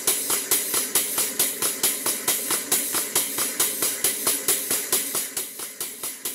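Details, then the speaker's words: Model 12-inch Southworth steam pump, now running after shuttle piston pushed to bottom of stroke: steady chuffing about 136 strokes a minute under a loud constant hiss, steam leaking from the bottom steam-cylinder gland, an easy fix. "As you can clearly see, there's a lot of steam coming from the bottom gland on the steam cylinder. That's an easy fix."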